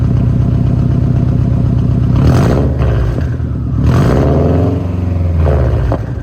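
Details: 2007 Subaru Impreza WRX STI boxer, exhaust clip: lumpy idle swelling cleanly through three quick blips and settling back, no knocking or clatter; healthy.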